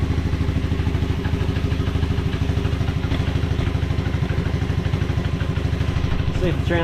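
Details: 1986 Honda Fourtrax 125 after carburetor cleaning: crisp, even single-cylinder beat of about three pulses a second, steady with no misses or clatter; normal running.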